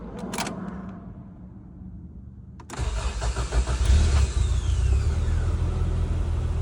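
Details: All-original 1988 Toyota Hilux Surf wagon, cold start after sitting two or three days: brief crank, catches at once, settles into a steady even idle with no knocks or misfires.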